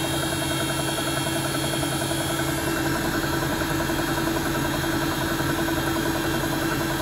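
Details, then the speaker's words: Bosch WFP3300 washing machine being descaled with 2 dishwasher tablets, spin ramping toward 1600 rpm: a steady roar with a faint, uneven thump two or three times a second. The owner wonders if it's bearings; a lot of scale was found. "I wonder, is that noise bearings? That tuka."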